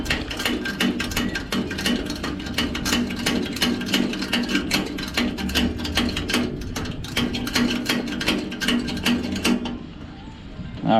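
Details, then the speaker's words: Coleman 413G dual fuel camp stove tank hand pump: quick even strokes about 2.5 per second with a clean click each, about 50 pumps pressurizing normally before locking the knob. "that gives it about 50 pumps or so then you want to turn the knob to the right until it locks in place"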